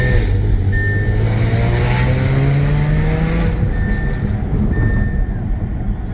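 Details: Audi A6 3.0T with Motorsport crackle tune, test pipes, downpipes and Vibrant mid resonators, before Gibson 55106S muffler install, heard from the cabin while driving hard; harsh raspy drone climbing with revs: exhaust rasp.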